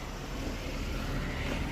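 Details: 2003 Buick LeSabre 3.8 before blower motor replacement: a steady, low droning whir with a rough, rumbling edge from the worn HVAC blower motor.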